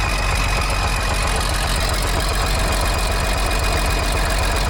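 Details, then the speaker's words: Allis Chalmers 645B loader diesel after the seized injection pump plunger was freed: steady, even low thrumming idle with no misses on any cylinder; a healthy diesel idle. "Heat. Sweet. Sounds like it runs pretty good."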